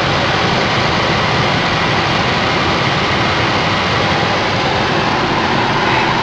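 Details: Ford Focus cabin blower, newly installed replacement motor on top speed 4, seemingly much stronger than the old one: strong, steady rush of air with no rattle, squeal or wobble; normal at full speed.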